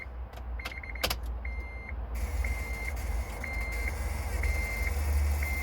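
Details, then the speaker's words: 2004 Honda Element: on turning the key, a high buzzing pulses about once a second from the steering column area and the engine won't crank, sometimes starting after repeated tries. Cause: failing ignition switch, replaced. "it just makes that buzzing sound and they'll do it over and over and eventually the car will start and the noise is actually coming from inside here somewhere"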